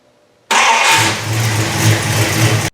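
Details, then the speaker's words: 1974 Dodge Charger after sitting two years, after fitting a carburetor base gasket and spacer to cure the vacuum leak: catches straight away, settles into a firm even burble with a crisp rev, no stumbling; running properly. "so i guess it runs pretty well"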